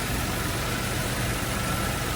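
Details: Nissan Cima Y33 VQ30DET after alternator replacement, idling with lights and fogs on as load: steady, even idle, no dip, surge or whine; charging measured 14.55 V versus what was thought to be about 11 V before.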